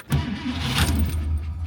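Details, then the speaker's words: 1964 AMC Rambler Classic on a hot 81°F day: a brief crank, then it catches almost at once and settles into a low, even idle; an unusually quick, normal start. "It never starts that fast. I don't think it has ever once started that fast for me."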